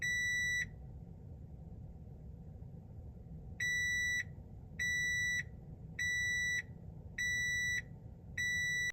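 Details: Ford Ranger (older, manual-window model) dash chime: five high beeps about a second apart over low cab rumble, the alert when the airbag warning lamp bulb is burnt out or missing.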